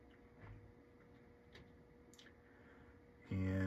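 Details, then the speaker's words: 1993 Mazda Miata MSSS1 factory stereo on bench: clicks and loading mechanism motor whir, but no disc spin-up; spindle motor not getting power, cause not yet found. "the spindle motor is not powering up you can hear this engaging it's doing something"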